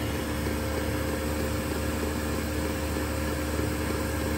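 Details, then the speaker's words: Chinese 2 kW diesel heater at full output after its ticking fuel pump motor was embedded in foam. Only an even, steady fan whoosh is heard with no pump tick standing out: normal running, pump tick muffled. "you almost can't even hear it so what did i do here i put some foam and that's this foam stuff"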